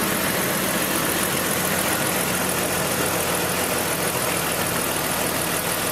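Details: 2002 BMW 330Ci after fuel pump replacement: steady, even idle under heavy hiss with no stumbling or knocking; engine running normally again.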